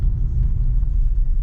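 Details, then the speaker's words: Test drive over the rough spots that used to knock, after replacing both front anti-roll bar links (right one had been knocking): only low, even road rumble, no front-end knocks or clunks. Suspension now quiet. "передвигаясь по тем стам где происходили посторонние стуки сечас проезжаю ни нигде не гремит всё"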